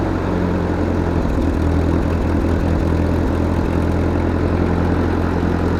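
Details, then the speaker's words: 1943 Ford 9N backhoe tractor idling low and uneven with lumpy beat and occasional stumbles; runs but rough, with several cracks in the engine block, cause of rough running not confirmed. "she runs not going to say she runs well she needs some help uh the block has a lot of issues"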